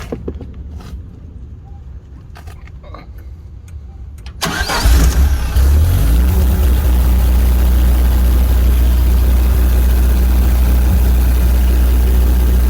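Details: Briggs & Stratton 35 kW generator with GM 3.0 L four-cylinder engine, rough only at idle: cranking a few seconds, then low pulsing uneven idle; plugs and O2 sensor replaced, cause was the computer control panel board.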